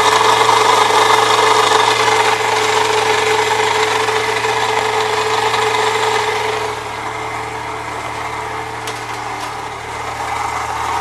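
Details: 1998 Saturn SL2 at idle with a shorter belt bypassing the A/C compressor: steady dry scraping grind from the belt area, noise persists; owner plans to replace the water pump next.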